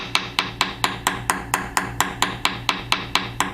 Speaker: so you might have noticed that right in this area it went from a solid tone to a more flat uh buzzing like sound